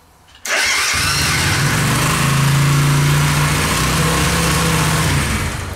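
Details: Suzuki Intruder 125 V-twin, hard-starting factory fault fixed by wiring in an added relay: silence, then the starter catches at once and settles into a steady, even idle with no stumbling; normal start.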